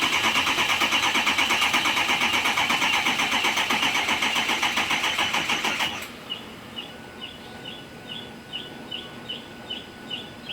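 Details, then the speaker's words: 6.0 Powerstroke diesel after replacing the No. 8 injector and removing and refitting the oil rail: steady starter cranking, about three beats a second, for six seconds without firing while the high-pressure oil system refills. Battery charged between attempts; it eventually started. "yeah so it took several tries of cranking the engine to actually refill the or high pressure oil system after removing the oil rail and feeling director and everything"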